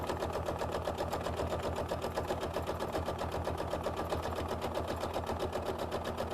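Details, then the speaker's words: Sewing machine stitching quilt-as-you-go blocks with 12-weight thread: steady, even tapping at about four per second over the motor hum as the needle punches through stiff sizing and wax in batik fabric. "I can hear it tapping can you hear that Emily I really like that that's the sizing in the batik fabric sounds like when you when you stitch over place"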